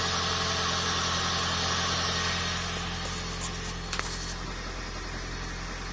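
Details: Toyota Prius engine with a fast, steady mechanical clatter, about four per second, rattling over an even idle; violent knocking and rattling, cause not yet pinned down.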